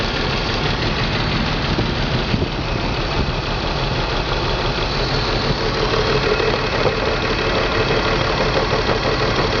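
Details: BMW 325 M54 every-morning cold start: ragged uneven idle with loose irregular chuff and shake, misfire codes on cylinders 3 and 5, sometimes 4; CCV, plugs, coils, fuel filter replaced, injectors cleaned; stops when warm, cause unknown.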